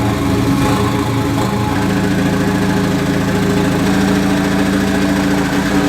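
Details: MK2 Golf with swapped 1.8T engine and 02J transmission: rapid even knock under the idle tracking engine speed; goes away with the clutch pedal down, owner suspects flywheel or clutch, unconfirmed.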